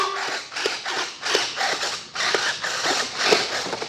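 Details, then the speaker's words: FMS J-11/Su-27 twin 70 mm EDF RC jet on the bench, retracts actuated with gear down and door open: short bursts of dry, rapid ratcheting clicks about every half second; abnormal landing-gear noise, source not found. "Everything is moving. I don't like that noise in the landing gear though."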